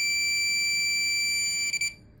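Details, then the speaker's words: Minelab Profind 40 metal detector with ferrous tone on: coin held close gives an unbroken high-pitched continuous tone for about two seconds, while iron gives a broken tone; continuous signal indicates a non-ferrous target. "இந்த காயினுக்கு continuous sound இருக்கும் பாருங்கள்,"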